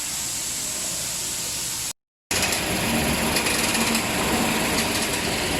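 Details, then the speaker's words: Toyota Hilux with engine running, after lubricating the clutch release bearing for a cricket-like chirp heard when the pedal was released. Even, steady running with no chirp from the transmission; fixed without replacing the clutch. "Setelah semuanya terpasang dan mesin dihidupkan tidak terdengar lagi suara jangkrik dari transmisi ini telah kita lakukan pelumatan tidak"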